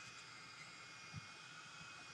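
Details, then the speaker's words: Parrot ANAFI drone after a week underwater, new motorboard fitted, just powered on: faint steady high-pitched whir of constant pitch with no rattle or grinding; the internal cooling fan runs normally. "You can probably hear the fan is working."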